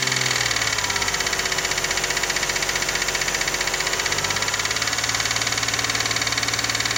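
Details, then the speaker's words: Toyota 1MZ-FE V6 at idle, knock appeared at first start after spark plugs, injector seals and throttle body cleaning; fast even tapping about three per second, seemingly left and rear, persisting after revving; no cylinder damage seen by camera, cause unknown. "Ну, вот так когда тихо, кажется, слева где-то. Слева и сзади, что ли."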